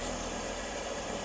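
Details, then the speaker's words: BMW E46 330i, engine running before crankcase vacuum test with manometer on oil cap: brief soft, even idle with no knocks or misses, smooth sewing-machine purr; engine running healthy, no exhaust smoke. "but that thing is back to sewing machine wow it is running really good"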